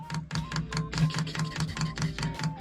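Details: 1973 Volkswagen Type 2 camper being restored, fuel dosing pump manually primed by button with dirt in fuel and a filter inline; steady ticking about four to five clicks a second, tone firming as fuel arrives: normal priming.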